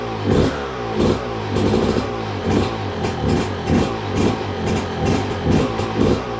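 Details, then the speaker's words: 2002 Yamaha YZ125 two-stroke, sat a long time, first start with choke on and new part fitted: crisp revs rise and fall about once a second and drop back cleanly, no knocking or clatter from the crank; normal running. "Running really good too. And I knew it would. Crank sounds good. There's no knocking or clattering,"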